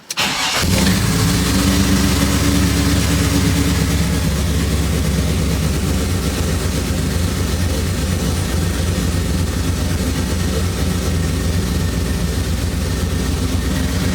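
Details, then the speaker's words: 1973 Impala 406 small-block Chevy V8 with FiTech fuel injection and aluminum AFR heads, after a collapsed lifter replacement and 2-piece guide plate upgrade. Brief crank, catches at once, then settles into a steady, even, deep idle. It starts and runs cleanly. "So, but yeah, man, it feels good, man, having this thing fired up."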